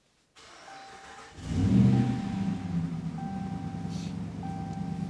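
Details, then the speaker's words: 2014 Dodge Ram 5.7 Hemi V8, nearly 200,000 km, after knock repair and radiator/condenser cleaning: fires up and settles into low even idle without knocking or ticking; healthy engine. "Сейчас мы запустим еще раз и продемонстрируем вам как должен правильно работать двигатель."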